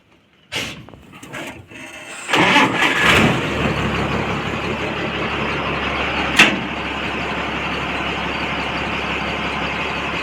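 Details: Water tanker starter refitted after armature repair: brief clean crank whir, then the engine catches quickly and settles into a steady even idle; starter now engages and works properly.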